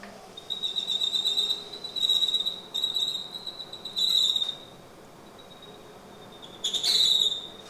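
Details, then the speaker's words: 1990 Mercedes W124 cabin blower motor: shrill, steady high-pitched squeal surging in bursts from dry bushings. "Yeah, that's quite unacceptable and not fitting for my Red 124 project, so I'm going to remove that blower motor and give it a good lube job."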